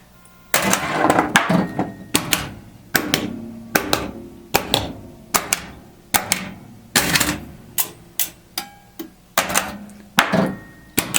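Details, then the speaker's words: Bally Playboy pinball machine self-test solenoid test: sharp single clacks about once a second in quiet room, each coil firing crisply in turn with no buzz; solenoids working properly. "the next test I think will test all of the solenoids"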